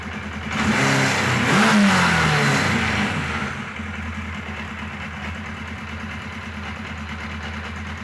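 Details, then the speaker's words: Kawasaki KZ1000 Police motorcycle, four-cylinder: throttle blips, then an uneven stumbling idle, with misfires banging the gears, quieter with the clutch pulled, and occasional backfire. Not firing on two cylinders; ignition is good; owner suspects a vacuum-leak-like fault. "can hear it's got misfires banging the gears around in there like it normally does when it misfires you know you pull the clutch and it goes away that's kind of typical"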